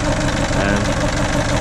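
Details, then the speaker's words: 2007 Ford Fiesta 1.4 TDCi diesel, sat about a year, on a jump pack, going into limp mode: uneven, lumpy idle with a stumbling beat and the engine shaking; owner suspects faulty cylinder 2 injector (numbered from gearbox side). "but it's definitely at least one cylinder not firing not working properly the whole engine shaking around there"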